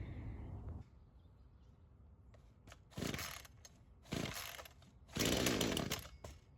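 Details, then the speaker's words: Craftsman chainsaw that sat for years, rerun days later after cool-down: low steady idle, three quick throttle blips rising and dropping cleanly. Carb acting more natural; seals checked, no head gasket or crank seal leak indicated; possible stuck ring earlier suspected. "Yeah, I feel pretty confident in saying that that carb's acting a lot more natural."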